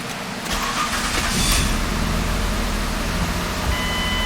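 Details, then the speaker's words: 2005 Ford Escape 3.0L with check engine light on, code P0354, spark plugs and coils already replaced: catches and settles into an uneven, stumbling, lumpy idle, shaking. Misfire from a coil not being fired due to a bad PCM coil driver. "it feels like this vehicle is misfiring and as you can see the check engine light remained on so customer's complaint confirmed"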